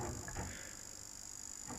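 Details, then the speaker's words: PS4 Pro power supply running on mains: faint irregular ticks over a thin high-pitched hiss traced to the single inductor, not the fan; windings move as current passes, causing coil noise. "Turns out that it's that inductor. Okay, so that's strange. We've got a magnetic component, i.e. an inductor, making a lot of noise."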